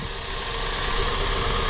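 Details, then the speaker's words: 2003-2007 Honda Accord after a power steering repair for a whine on cold start (fluid and O-ring kit): smooth, steady idle with no pump whine; fluid still bubbling slightly while air bleeds out; normal power steering. "i don't hear the wine nope i don't hear it i think this is good i think we're cool as a wrap i think this is dope quiet"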